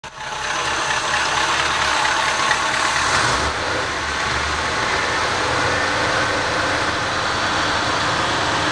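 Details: 1973 Cadillac V8 idling cold: busy, uneven mechanical clatter over the exhaust. Piston slap when cold that disappears once warmed up, after which it runs like new.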